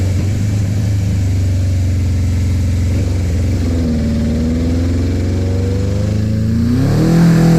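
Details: Suzuki GS850 four-cylinder motorcycle started right after valve adjustment with head cover refitted, on a small gas container: uneven pulse at low revs, stumbling when revved; runs rough, owner suspects carburetor issues, not confirmed.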